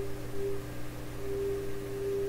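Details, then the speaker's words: 1928 RCA Victor Model 28V radio at final tune-up, on a supply a little under 100 volts: a clean, steady received tone with a low hum underneath through the speaker, so the receiver is tuned in and working normally. "okay so there we've got the signal coming in you can hear it coming out of speaker sounds fine"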